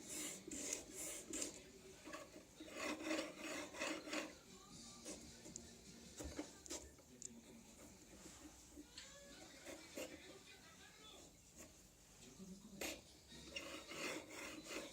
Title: Anet E10 bad bearings